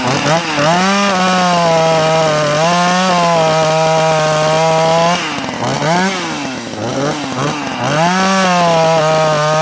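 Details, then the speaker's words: Sachs Dolmar 43cc chainsaw with timing issues, cutting dead ash: a high, clean two-stroke scream that bogs and recovers as it bites, revving back up crisply and running strong. "Listen up of a 43 C shot. When this lights up, she lights up good."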